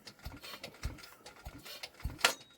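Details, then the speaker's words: Douglas engine after rebuild, hand-cranked with starting handle before first start: slow turnover with firm puff and thump about every 0.6 s on each compression stroke, strong and even; very good compression. "we have very very good compression that is superb news"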